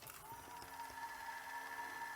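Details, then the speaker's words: Sony SL-C6 Mark II Betamax after STK regulator and belt work: quiet whirr with thin constant whine and faint gear ticking, barely rewinding; transport noisy, servo issues suspected, not confirmed. "but it runs seems to be a bit of a noisy yeah it's [Music] barely it's barely rewinding but I talk I suppose yeah Mot a bit noisy oh dear"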